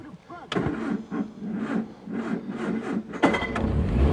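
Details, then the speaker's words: 1975 car, 50,000 miles, 54 hp when new, four-speed manual with choke: sluggish, uneven starter cranking for about three seconds before the engine catches and fires, slow cranking from a nearly dead battery. "oh this battery uhoh don't do it to me this battery is almost dead it is it really is just almost"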